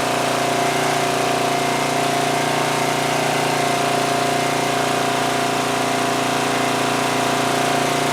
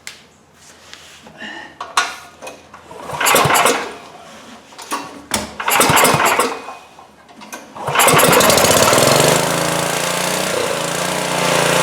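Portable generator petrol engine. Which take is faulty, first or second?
second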